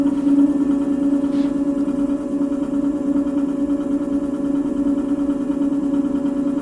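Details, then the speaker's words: Cycleboard Rover Gen 2 electric scooter, new out of the box, wheel spun up by motor: steady motor whine with light rhythmic scrape about three per second; brake caliper dragging on the disc, motor not yet ruled out. "so I do hear the the brake uh calipers touching which most of the time most of the scooters I've gotten is always like this"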